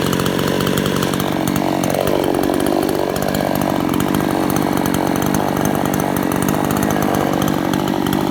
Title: rattling noise